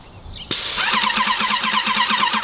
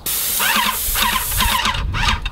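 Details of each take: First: Airless paint sprayer with a 623 tip worn and blown out after several hundred gallons: a sudden, very loud, harsh spray hiss with a fast pulsing flutter, throwing a ton of paint with poor atomization. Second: Airless paint sprayer with a 515 tip at about 2,800 PSI: a strong, even hiss holding steady with no spitting or pulsing. Normal airless spray tip hiss.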